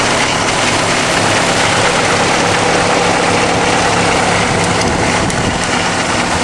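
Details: Subaru WRX at idle: steady harsh grinding from around the timing belt cover area, passenger side, no clear rhythm; cause not yet pinned down.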